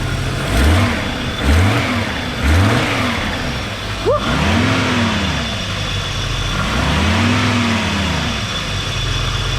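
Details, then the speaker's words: Audi S6 revving after battery reconnected and 2 litres of concentrated coolant added with improved bleeding setup; quick revs and smooth sweeps back to idle, no knocks or rattles, the earlier bad noise is gone. "Déjà, il n'y a plus le bruit de merde qu'il y avait avant ici."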